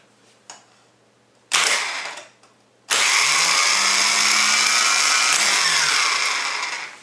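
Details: Volvo EC14B/EC15B mini excavator starter number three, fitted with solenoid number one, on the bench: a short burst, then a sustained high whirr for about four seconds winding down evenly. Starter spins freely and works normally.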